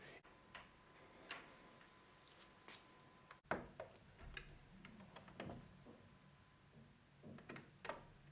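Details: Interior door with a magnetic latch that used to bang its tongue against the jamb, after a thin strip of nonwoven material was stuck on the latch tongue: only soft, muted clicks as the door shuts; it now closes quietly.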